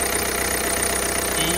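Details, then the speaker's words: Citroen C4 1.6 BlueHDi 120 EAT6 diesel idling, heard at the engine bay: a constant dry rasping chatter over the engine. The accessory belt is visibly frayed; the belt and its pulleys need replacing. "et comme vous pouvez entendre ça fait un bruit de couement"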